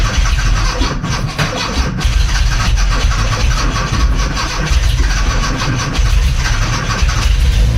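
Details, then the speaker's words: 1982 VW Westfalia with a swapped-in Subaru engine, first start with no fan fitted and long without fuel: after some cranking it catches into a loud, busy, steady roar with no knocks. Starts and keeps running. "Well, I'll be It took a bit to get it going, but it went long time since there was fuel up there."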